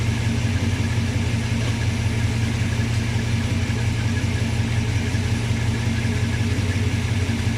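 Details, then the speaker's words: 1966 Plymouth Sport Fury V8 with original stock camshaft, 15 degrees initial timing, idling at 650 rpm: deep, even, smooth rumble with no knocks or misses; healthy V8 idle. "but it's amazing how smooth this V8 runs. It's not something I'm accustomed to."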